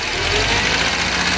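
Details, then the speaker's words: Mercedes 190 W201 with the M102 2.0 petrol engine at idle, where a knock persisted after chain and tensioner replacement and disappears when cylinder 3 is disabled; teardown found a spun rod bearing on cylinder 3, pin apparently intact. Connecting rod knock. "короче третий поршни либо палец либо вкладыш надо смотреть"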